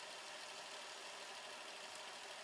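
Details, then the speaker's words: Toshiba AH-350 Betamax VCR (Beta II/III) fast-forwarding after its belts and a roller were replaced: a quiet, even high whir with no slipping, squeal or stutter as tape winds at full speed. Normal fast forward. "rewinds and fast forwards like a dream"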